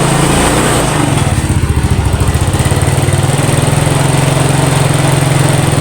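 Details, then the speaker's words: Yamaha Mio scooter after compression-loss repair and spark plug cap refitted: single-cylinder engine catches and settles into a quick, regular, even putter at idle; normal running, some smoke afterward. "Oke Alhamdulillah motor sudah hidup kembali ya udah bisa hidup"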